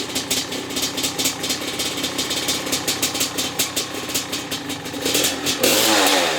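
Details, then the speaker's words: Maico 660 two-stroke after new reeds, reed intake and jets: crisp even popping at idle then a quick clean blip of revs; started and restarted easily, only idle needed adjusting; running healthy. "Alright, so I didn't take it for a ride or anything, but started up easy, and it also restarted easy. Needed just the idle, but other than that, I think that this is good enough to try out."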